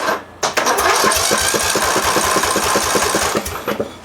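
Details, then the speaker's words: Massey Ferguson (Simplicity) lawn tractor, 18 hp Briggs Intek OHV engine, advertised with a blown head gasket, cranking during a compression test with oil added. Even chuffing near four strokes per second; reads 120 psi, so the head gasket is judged fine. "What do we got? Oh, 120 pounds. I'm going to hazard a guess and say that head gasket is just fine."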